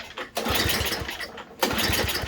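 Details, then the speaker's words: Murray Ultra 5hp 22-inch Tecumseh snowblower, no-start complaint, fuel on and primed, pulled with and without choke: quick chuffing pull bursts that never catch, no fuel heard coming. "No go there. I'll try it without the choke. Even when I hit that, I don't hear any fuel coming. So definitely not getting it to start there."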